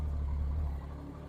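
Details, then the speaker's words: Triumph Daytona 675 after crash rebuild, running in neutral after adding fuel to an empty tank: deep, steady idle with no misses or knocks, sounds a lot better; normal idle. "Right, I've plonked a bit of fuel in. Yeah, that sounds a lot better. So we're in neutral."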